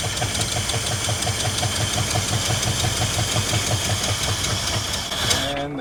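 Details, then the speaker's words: 1979 Ford F150 with modified 351 V8: thumps along unevenly at idle about five seconds then dies abruptly, running out of fuel in the carburetor bowl; fuel pump believed fine, carburetor blamed. Engine stalls from fuel starvation. "Ran out of fuel in the carburetor, I'm sure. Because if you try and start it right away again, it won't start. You got to pump it back up again."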